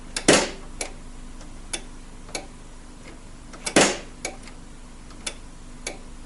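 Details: Saeco Vienna Trevi Chiara coffee machine powered on without the brew unit: sharp irregular ticks about once a second with two louder snaps; intermittent clicking, likely from the ground-coffee doser.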